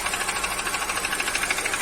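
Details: Kia Cerato petrol engine running fast, with even, light, crisp metallic knocking on top; piston slap from worn pistons, before an overhaul with new pistons, rings, liners, and main and rod bearings.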